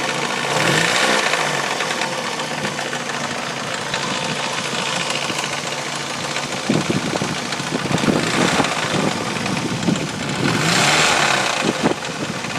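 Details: Mazda Miata engine at idle with a light, fast rattle from the timing belt area that doesn't change with revs; persists with the accessory belt removed. Owner suspects the tensioner or idler pulley, unconfirmed.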